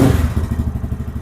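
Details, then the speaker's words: Lifan KPM 200 motorcycle after throttle position sensor adjustment, reading 0.8% at idle and 0.4% when off: even steady low thumping about ten beats a second with no stumble; clean idle, good throttle response, won't die when hit hard. "see but it started up it's showing 0.8% it's idling good it's got good throttle response and I can hit it hard and it won't die"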